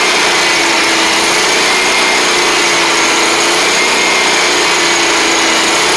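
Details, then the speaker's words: John Deere 345 lawn tractor, liquid-cooled Kawasaki, after carburetor work: holds high, even rpm at mowing speed with no rise-and-fall hunting; surging gone, though it still won't idle properly. "But we've got it going at the uh high RPM and mowing speed. It doesn't sound like it's surging anymore, which is good."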